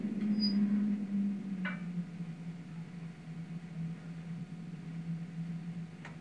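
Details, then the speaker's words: Plamen Tara wood stove with the damper fully closed: only the glass air supply remains open, and its primitive design produces a steady low whistle that adjustment can't remove. "здесь при полностью закрытой задвижке остается только подача воздуха на стекло но за счет того что подача воздуха на стекло примитивная появляется такой свистящий звук вот послушайте"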